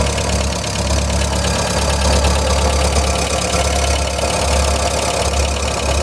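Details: 1999 VW Gol 1.0 engine idling steadily with a faint quick tick over the hum; owner suspects a lifter (tucho) knocking, unconfirmed.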